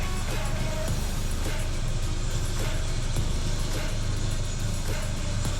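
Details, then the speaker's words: Renault Clio rat rod after a new coil pack fixed a cylinder-1 misfire: a steady, even petrol idle with a deep exhaust rumble and no popping, with music in the background. "yeah beautiful it's not popping at all"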